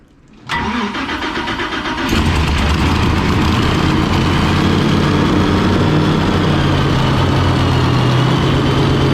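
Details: Fountain 42 offshore racing powerboat, twin 9-litre engines, run on fresh-water flush after racing, misfire reported on return; one engine cranks briefly, catches cleanly and settles into a deep, even V8 idle; sounds right.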